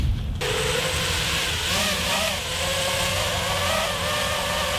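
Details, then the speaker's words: 3D-printed PLA/PETG propellers on a Peon 230 racing drone: loud buzzy motor whine with a wavering rough edge as throttle shifts; unbalanced props cause heavy vibration and wasted energy. "probably tell like this listening to it and all that noise is just wasted energy if you think about it that way"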